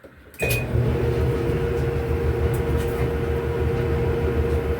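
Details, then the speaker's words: Whirlpool Cabrio dryer after replacing the idler pulley (W10547292), which had been screaming: it starts with a click, then runs with a smooth, even rumble and steady motor hum, no more grinding or squeaking. "It No more grinding. No more squeaking."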